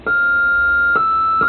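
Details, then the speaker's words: Vox Super Continental organ: single held note rings with an unwanted extra octave bleeding in (other notes bleed minor thirds); cause found to be dirty ground bus connections, fixed by cleaning them. "here it's got that it's got an extra extra octave in it"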